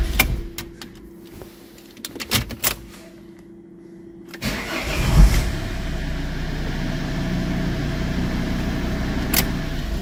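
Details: Volvo after no-crank no-start with ECU/CEM communication problem: a few clicks and bumps, then starter turns and engine catches at once, settling into steady even idle.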